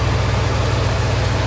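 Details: 1997 Lexus LX450 with 5.3 LS V8 swap and 6L80, brief start after coolant refill and belt work: deep, steady V8 burble, no belt squeal or slap, fan running; normal idle.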